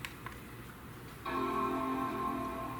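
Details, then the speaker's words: Late 2014 base Mac Mini with failing HDD, after PRAM reset (it gave no boot chime before), in a quiet room: a clean sustained chord about a second in, the startup chime now playing normally. "So I need to reset the PRAM and whatnot, so I'm going to go and do that right now. Alright, it should now chime."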